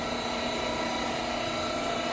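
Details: Frymaster Filter Quick oil-conserving fryer with two 30-pound fry pots, during a manual quick filter (about 4 minutes): the filter pan's pump runs with a steady, even whine, pumping oil back into the fry pot; normal.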